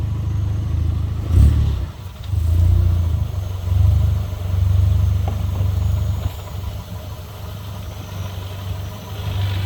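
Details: VW Jetta GLI mk6 with DSG and Unitronic stage 2 TCU, 155k: low engine rumble at crawling speed and reverse surging unevenly with odd driveline clunks, sounds disconnected especially on downshift and deceleration.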